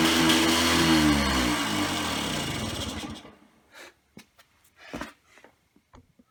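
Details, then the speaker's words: Yamaha QT50 (Yamahopper) 50cc two-stroke minibike during rebuild, run on new custom stainless gas tank: harsh buzzy note wavering unevenly about three seconds then cutting out; rough running, owner suspects carburetor or bad bottom-end crank seals, unconfirmed. "Okay, so it is still running really weird. I'm not sure why. Maybe carburetor issues, maybe that the seals in the bottom end are bad and it's just not sucking up gas."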